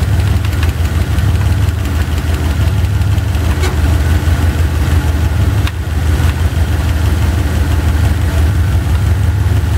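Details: Chevy 350 V8, driver's side valve cover off, running at idle during valve lash adjustment (quarter/half turns): deep rumbling idle with rapid clatter, a loose rocker hammering until adjusted; engine fairly quiet afterward.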